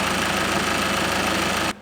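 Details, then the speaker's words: Ford Mondeo Mk5 diesel taxi idling right after its first start following a snapped timing chain repair, cold and before the coolant fill and warm-up: steady, even idle with a light regular clatter and no knocks or misses. It runs sweet as a nut. "it's going it's bloody going we've got a runner it sounds as sweet as a freaking nut frigging winner"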